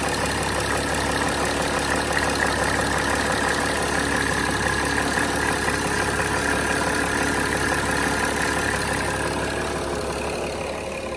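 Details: 2006 Mercedes E320 CDI, OM648 common-rail diesel, at idle right after the glow plug control module and fuel rail pressure sensor were replaced and codes erased: steady, even clatter with no misses, knocks or hunting; smooth, healthy idle.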